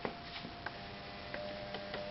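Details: CoPilot coder start-up, purge button pressed 15 times to force ink through the print head and clear storage fluid or old ink: light ticks roughly twice a second over a faint steady tone, purge pump working normally.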